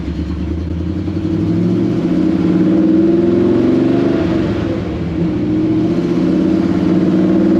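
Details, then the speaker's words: 1954 Chevy pickup after replacing the broken T5 transmission, in fifth gear at about 60 mph: steady road and engine drone with no whine, growl or clunk from the gearbox; transmission sounds healthy. "we're in fifth gear now doing about 60 M an hour we got no noise so I'm going to take that as a win"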